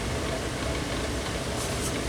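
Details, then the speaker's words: Vintage Sears 9-inch oscillating fan made by Lasko/Galaxy, first run on low speed: steady, dry, raspy whir under the air rush from extremely dry, unlubricated motor bearings; it works and oscillates, and the fix is oiling and compressed air. "I want to run it for long with it making that sound it's a very dry bearing sound"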